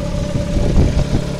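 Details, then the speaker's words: VW Gol quadrado with CHT engine after fine-tuning the idle mixture and adjustment screw, exhaust has a hole: a low, steady idle with an even rhythm that restabilizes quickly after each blip of throttle. "acelera ele já volta estabiliza de novo acelera ele já estabiliza muito bom"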